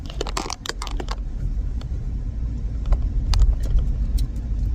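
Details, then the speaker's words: 2006 Toyota Highlander with Monroe Quick Strut rear struts, 6 months and about 5,000 miles old, recorded in the cabin with passengers over speed bumps: sharp rattly clunks over road rumble, seeming to come from the back seat. Rear strut clunk. "But then I drove it again and then I could tell that the noise was up higher. It sounded like it was coming from the back seat."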